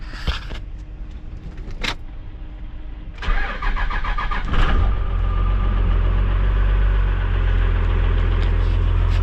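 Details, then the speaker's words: Truck diesel with brand-new batteries, first start next morning after a fridge and laptop ran overnight: slowish starter cranking for about a second, then catches and settles to a steady rumble; weak cranking, voltage low at 13.9, rising to 14.1–14.2 driving. "It was a little, you could hear that it was a little weak, but it still started right up."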